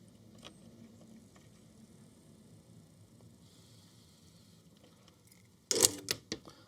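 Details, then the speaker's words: Portable ice machine, newly fitted replacement limit switch pressed by hand; sharp cluster of light clicks like the original switch. Switch operating normally. "So, you should be able to hear this now. Just like the original switch up here. You can hear it clicking."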